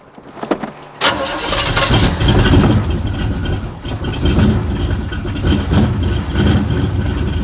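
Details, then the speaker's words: 1972 Chevrolet Chevelle, sat 5 years, after priming the carburetor: the engine catches after a brief crank and settles into a steady, even burbling idle, running longer than the squirt of gas. A small drip remains at the back. "it seems to be running no way i would say that we're running longer than that squirt of gas i say so"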